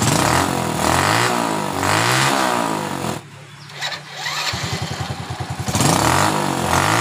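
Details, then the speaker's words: Honda Supra Fit motorcycle after spark plug work, previously stalling on throttle: engine climbs and falls through several clean blips, settles to a steady putter, picks up again without stalling; now takes throttle, healthy. "ini sudah bisa di gas sudah tidak mau lagi atau gelap"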